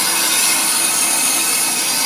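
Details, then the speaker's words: Ammco brake lathe machining a brake drum, microphone near the drum: steady hissing scrape of the stationary bit shaving the spinning drum, even and unbroken; clean first cut nearing end of pass. "sounds like we're getting near the end of our cut our first cut"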